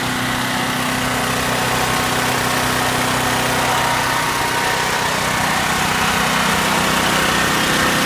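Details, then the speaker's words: Generac LP5500 propane generator running: loud steady buzzing drone at constant speed, no knocks or hunting; normal operation, just very noisy. "so here's a very noisy extremely loud it's not practical for tailgating"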